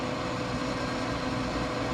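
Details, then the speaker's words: Pit Boss 520 wood pellet grill, over 5 years old, run with igniter disconnected: steady low hum and soft whirr, no clicks, fan and auger feeding pellets normally without tripping the GFCI; igniter identified as the fault. "look at that it's not tripping now and it's feeding pellets I hear the augur"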